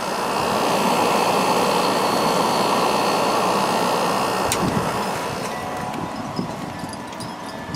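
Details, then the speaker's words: White Westinghouse 8,000 BTU window air conditioner just reassembled after cleaning, started on low cool after the thermostat clicked. Steady airy rush and even hum, one click midway, then a slight easing; normal running. "But let's go ahead and start it up. Compressor will start because I heard the thermostat click, so let's go to low cool."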